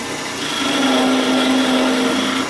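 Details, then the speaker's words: Woodturning lathe, tree-limb blank for coat buttons sticking out 8 1/4 inches from the chuck, unsupported, facing cut with skew chisel: steady buzzing hum and audible vibration as the limb flexes — lathe chatter from unsupported workpiece, needs tailstock support. "You can, well, I can see that it's moving just a little bit because of the flexibility of the, from, you know what I'm saying."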